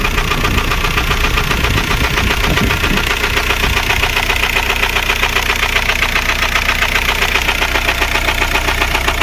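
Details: Volkswagen Golf 4 TDI 116hp AJM diesel at idle: hard regular knock about two and a half times a second over diesel clatter; rod bearing failure, engine replaced; rod knock.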